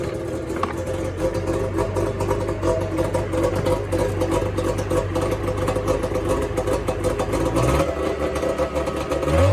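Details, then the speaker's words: 2005 Arctic Cat 370Z 370cc two-stroke snowmobile, after fixing manufacturing issues: even idle with a repeating high beep, the reverse warning chime sounding as reverse engages; sled runs healthy and is ready for the trails. "So reverse works. You heard the beeping noise on it. So that's something Arctic Cat and Skidoo had. Whenever it goes in reverse, you hear the chime."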